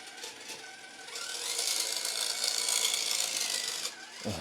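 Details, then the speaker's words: Redcat Ascent18 Scout II 1/18 electric RC truck with aftermarket option transmission gear set; high gritty whirring rising under load with rough rattle about four times a second, incredibly loud; noisy rough-meshing transmission gears, gear set not recommended. "sounds so rough hit the front frame Bender this is a good looking truck for the most part"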